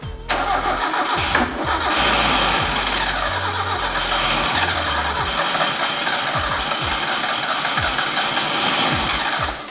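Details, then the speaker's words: Mazda Miata NA 1.6 with new ISR turbo kit: steady even starter cranking that never catches, no firing pulses, fuel pump deliberately unplugged to crank while checking ignition timing. "I also unplugged the fuel pump so he can just keep cranking it cuz that's what you're supposed to do"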